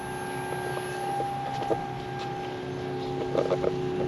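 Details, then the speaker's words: Newport NK180 transom motor on a 2019 Hobie Outback at 50%, 31 watts, two lithium batteries in series: a clean, even electric whine over light water and wind noise. Running normally. "And we can see the Newport motor is running."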